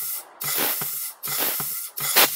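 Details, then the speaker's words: 01P automatic transmission, air pressure test at the clutch test port: three bursts of compressed-air hiss, each with a soft thump as the clutch applies properly. "you can hear that clutch applying properly so that one's okay"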